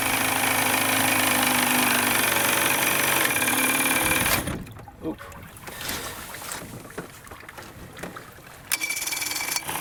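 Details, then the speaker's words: Vintage Evinrude/Johnson 35 hp outboard with good spark, after starter fluid, running off bad gas: buzzy, rough run for four seconds, then sputters, coughs and dies; misfire, possibly from bad fuel reaching the carburettor. "Sneezes and dies, and that's the next thing I gotta figure out."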